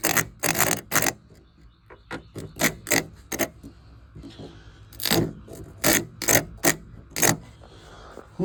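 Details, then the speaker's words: Starter removed from a 1977 Chevy LUV pickup that sat 18 years, bench tested: short harsh bursts of whirring and clatter, spinning roughly then dying; starter bad with busted nose housing. "uh I'm going try to bench test it here see what's going on with it we're going B the nose con busted right there"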